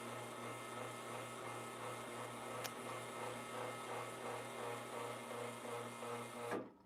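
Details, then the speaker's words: Lelit Bianca espresso machine, owned since 2021, running after switch-on. A constant low hum with a buzzing mechanical drone until it cuts off; the loud pump noise is the owner's main problem, cause not yet known. "I guess so, that is my main problem I have with this machine. That noise."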